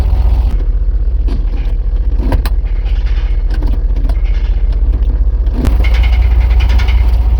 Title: GMC w4500 knocking noise from transmission area #gmc